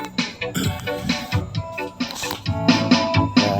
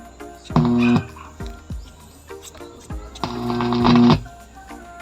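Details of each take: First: DB Audio Set 502 amplifier after repair of a welding-like frying noise, played over Bluetooth and tested left and right; music now sounds clean with no crackle, hum or frying underneath; clean amplifier output. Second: DB Audio Set 502 amplifier playing music with sharp crackles and pops like welding sparks.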